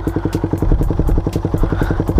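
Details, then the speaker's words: Raider 150 motorcycle right after fitting a new spark plug: even, steady single-cylinder thump about six beats a second with no misses or stumbles; engine starts and idles normally. "Na-ander naman siya. May itatakbo ko pa nga yan eh. May Raider. Umaandar naman ' ba?"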